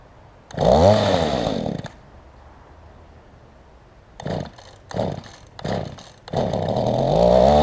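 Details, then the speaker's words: Mantis tiller small two-stroke with a loose engine mount and no kill switch: revs in bursts, dropping and blipping unevenly; rough idle, owner thinks it needs idle adjustment. "So it just needs idle adjusted, it sounds like, and needs the engine to where it's not loose."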